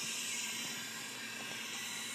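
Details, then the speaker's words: Acura Integra B18B1 at top dead centre during leak-down test, before drilling out broken distributor bolts: steady airy hiss with no rhythm as cylinder one is pressurised, about 79 psi on the second gauge; air escaping past a leaking exhaust valve on number one. "unfortunately we have a leaking exhaust valve our number one cylinder"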